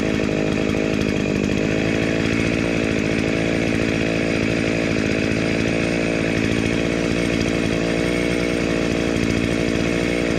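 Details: Dolmar 109 chainsaw (second of two), after restoration with a homemade shortened chain and the oil pump sorted: crisp, steady two-stroke buzz holding an even high speed without stumbles or misfires; running cleanly.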